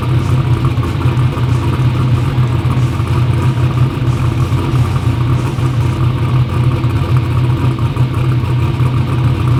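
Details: "Black Sheep" V8 race car idles deep, steady, even and lumpy with no misses or knocks; runs good after injectors fixed EGT problems, front and rear main seal oil leaks still pending.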